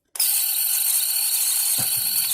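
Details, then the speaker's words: 1970s Bell & Howell 1225XL Super 8 sound camera, mildewed after shipping-container storage: motor run gives a loud, steady high-pitched scream with no low end, badly distressed motor. "a screamer. Ah! It's saying, put me out of my misery."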